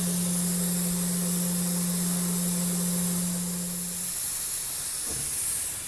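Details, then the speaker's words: 45-year-old Vauxhall Royale 2.8L coupé on its first test drive after an engine rebuild and cam run-in: steady sharp hiss over a low hum, cutting out after four seconds, as coolant blows from the top hose; owner unsure whether it is overheating, combustion-gas pressurization or a clamp. "That's not good. That sounds like overheating."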